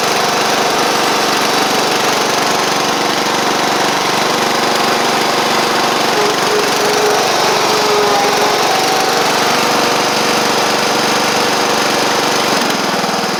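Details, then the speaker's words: Sabre riding mower after repair (drive belt and blades replaced, a large oil pool cleaned up) holds a steady, even drone with no misses or surging. Caked-on oil is still burning off through the exhaust, which caused the earlier cold-start smoke. It runs fine. "so it just needs to I just need to maybe running a little bit just to get all that stuff off but regardless y'all see that it's running fine"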